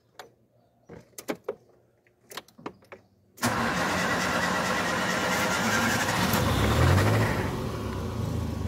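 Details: Ford Ka with Zetec Rocam engine (thought to be about 2010), starting normally with the injection light on, before timing chain replacement: handling clicks, then the engine catches into a loud, busy clatter over the idle; worn timing chain rattling.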